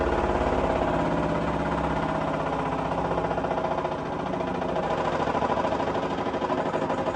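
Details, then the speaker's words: LG F1222TD washing machine at full-speed final spin: fast even drum roar with a buzzing rattle from a loose clasp that the owner plans to remove. "I was going to remove that clasp off this today so I ain't got to listen to that rattle anymore"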